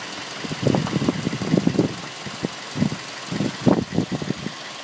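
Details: 2006 Mazda 3: engine idles with uneven bursts of knocking; no cause given.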